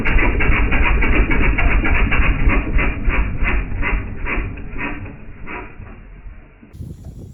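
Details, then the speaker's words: Rebuilt pressure washer small engine with a leaking intake manifold, run on starting spray after a small stick was cleared from the carb: fires hard, then fades and quits within seconds; fuel starvation, fuel line disconnected from carburetor. "Look, it's kind of hard to have fuel flow into the carb when the carb's not connected."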